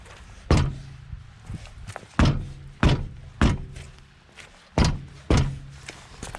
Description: Вот таким колхозным методом устраняем звук дребезга суппортов на ваз 2121